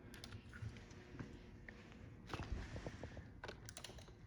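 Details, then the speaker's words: VQ37VHR engine on the ground with uncut OEM harness, for a 300zx: faint irregular relay clicks, no starter crank, cluster won't shut off; something wrong, owner suspects airbag/accident mode. "I hear all the relays clicking and all that stuff but it still doesn't want to do anything and I can't shut it off either so until I can shut this off then I will always know that something is wrong"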